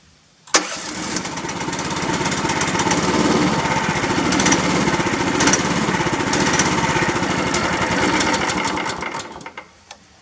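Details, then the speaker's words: 13.5 HP Briggs engine with air filter and breather off, after spray carb cleaner and compressed air failed: catches and runs unevenly about eight seconds, sagging instead of idling, then dies; owner suspects a blockage in the carburetor idle circuit. "Okay, well, no, that's not good. So what I'm going to do, we're going to go ahead and pull that carburetor off and see what we can do. There's probably something inside there in the idle circuit or whatever that I didn't blow out the other day."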